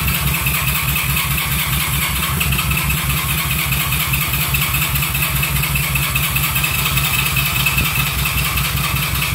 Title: 1971 CB350 Won't Start